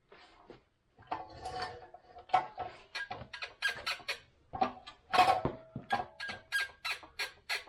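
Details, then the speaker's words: Yamaha YZ250F (2003–05 era) motocross bike, rear end pushed by hand: sharp rhythmic squeaks about two per second; shock and linkage bushings sound dry and destroyed, while the rear shock itself is fine. "Sounds like our shot and linkage bushings are dry and destroyed. Absolutely. No good, no good."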